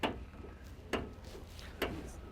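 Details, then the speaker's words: 1981 Camaro with 6.0 Gen 3 LS swap, steering shaft turned back and forth: three sharp hollow clacks about a second apart; broken rag joint collar with missing clamp bolt. "Not what you like to hear in your steering."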